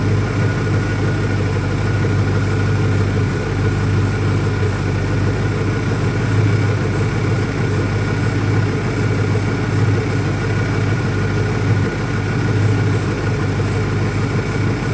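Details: 2001 Ford Mustang Cobra at idle after swapping in Bosch spark plugs: a deep, steady idle that stumbles now and then, its rhythm uneven. Rough idle persists; cause not pinned down, and the owner doubts a vacuum leak.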